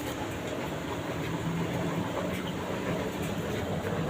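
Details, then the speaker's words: LG 15 kg washing machine that smoked yesterday: drum turns with a coarse rolling rumble and faint clatter; drum bearing found loose, possibly overheated from heavy loads. "Ini kalaupun muter pasti kasar banget ini suaranya nih."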